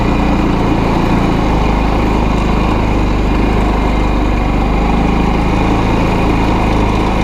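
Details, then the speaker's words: ATV from a Kazuma Jaguar 500 4x4 / Honda FL250 Odyssey haul, battery replaced, starter a little shaky: engine running with a steady even drone and deep constant beat, no misses; carburetor working pretty well though not quite 100%. "Though the carburetor's working, and you guys can hear it's actually working pretty well. It's not quite 100%."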